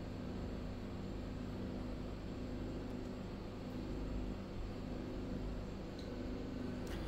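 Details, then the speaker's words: Hisense washing machine with an F13 door-lock error, on direct spin after a temporary fix of a short caused by a cockroach. The drum motor gives a steady, even low hum with no knocking, scraping or grinding; healthy. "Now motor also start. You can hear the noise."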